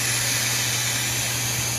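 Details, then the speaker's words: Rolls-Royce (Shadow/Wraith/Corniche) 12V normally open fuel vacuum solenoid, unpowered, with air blown through it: a steady airy hiss that cuts off sharply near the end, so it passes vacuum as it should. "one's normally open, meaning the vacuum can run through."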